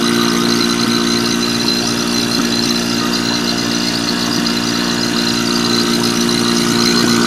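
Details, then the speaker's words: Marvac GA-271A AC vacuum pump, split-phase AC induction motor, after freeing seized armature shaft, likely unused 30 years: constant even hum with steady high whirring, no surging or knocking; motor heats quickly, good suction; normal running. "And that motor is heating up pretty quick actually, but it's got pretty good suction. Doesn't have to be a whole lot just to evacuate an AC system."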